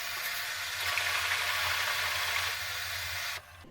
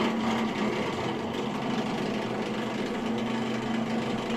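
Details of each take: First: Bosch Maxx 5 Speed Edition washing machine, after repairing a drain pump with a broken impeller: the drum is filled, then drained. A steady rush of water over a low, even pump hum with no catching or rattling; it drains normally. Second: Bosch Maxx 5 Speed Edition washing machine that won't drain: the drain pump motor gives a steady electric hum with no water moving. The pump runs, but its impeller is broken.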